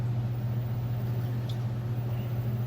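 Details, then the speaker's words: LG Direct Drive HE washer in like-new condition, start of the wash cycle with plenty of water: even, low, steady hum with no knocks or grinding; running normally. "This is not one of those machines. This one uses plenty of water here."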